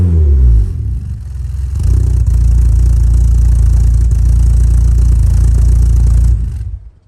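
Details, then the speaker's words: VW Mk2 Golf GTI 2.0 8v project build, engine heat cycled a few times, in the garage: blips then a deep, smooth, even drone at raised revs dropping off cleanly; normal exhaust note when revving. "a little bit too windy to let you guys hear the exhaust outside, so I backed it in. Thought I'd give you some good sound clips on this exhaust."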